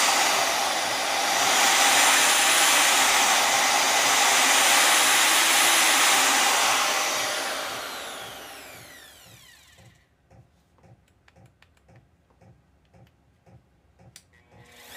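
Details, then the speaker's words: Vevor model 5120 plunge router, 3¼ hp, speed adjustable, first power-on before test cuts: soft startup spinning up to a clean, steady high whine running free, then coasting down smoothly; normal healthy motor run. "It has a nice soft startup. I like that. Very responsive."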